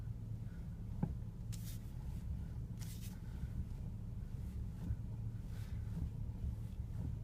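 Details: BMW E60 at idle: dull clunks and brief rubbing hisses every time the steering wheel is turned; cause unknown.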